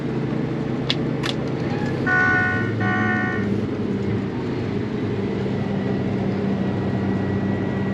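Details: Case 8250 combine with new rotor speed sensor in the gearbox now reading: steady, even drone with constant low hum from separator and feeder, no knocks or grinding; running normally.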